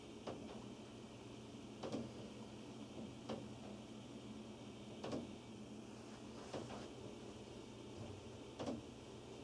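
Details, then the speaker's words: Upstairs hall-bathroom toilet flush; sharp, hollow knocks about every second and a half over a steady hum, heard at the laundry room wall below; owner calls it water hammer, also heard with no bathroom in use. "You can hear this sound even nobody is using bathroom early in the morning."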